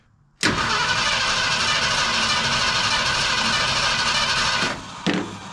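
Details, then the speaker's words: 1972 Ford F100 FE 360 V8 first start attempt, carb pumped, spark unchecked; starter spins steadily about four seconds with no firing pulses — crank no start, later traced to wrong firing order. "all right we're going to have to check for spark because it doesn't sound like it's even trying and I know it's getting fuel"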